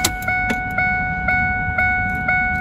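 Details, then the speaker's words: 2002 Ford F-150 with key out: clean electronic ding repeating about twice a second that won't stop, radio also staying on; not the ignition switch, a failed wiper motor backfeeding power into the chime circuit. "the other thing that i'm noticing is i have a beep but it's a weird beep"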